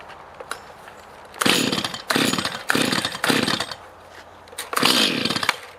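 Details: Stihl MS211 chainsaw (not old) that bogged and hesitated even after carburetor cleaning and rebuild, now with replacement carburetor part #1139-120-0612: crisp, clean bursts to full revs and back with no bogging or stumble; normal running.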